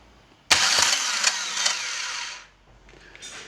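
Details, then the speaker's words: 2009 Chevrolet Agile 1.4 starter motor run on the bench: two-second harsh, high-pitched metallic whirring rasp. No defective parts found; the starter was very dry and was fixed by lubrication. "se que ana não é peça com defeito nada sei que é só lubrificar na verdade que o arranque estava muito ressecado"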